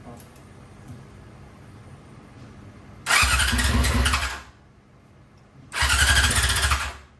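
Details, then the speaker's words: 2001 Yamaha YZF R6, first start attempt in 3 years after carb rebuild, choke on: two bursts of fast cranking without catching; later traced to wrongly connected air-box pipes where vacuum lines had been deleted. "All right, so I know what the issue was, why it wasn't starting, and it was my fault. So whoever owned this bike before, they deleted the vacuum lines."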